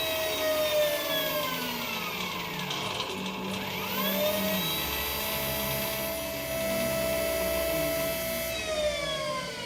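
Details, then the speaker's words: Electric go-kart QS motor with Fardriver controller on Headway cells, running after throttle troubleshooting during controller learning; the whine sweeps up and down, then settles steady with no knocking, so the motor ran correctly. "there we go that looks like that ran correctly here"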